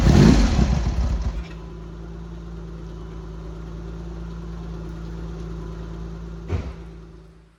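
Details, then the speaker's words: Triumph Hurricane X75 triple with rebuilt carb rack just refitted, started with half choke after priming: catches first crank, settles to even low tick-over, then stalls because the throttle stop screw isn't set yet; smooth on all cylinders. "Right, there you go. Sounded good to me. Really nice and smooth across all the cylinders."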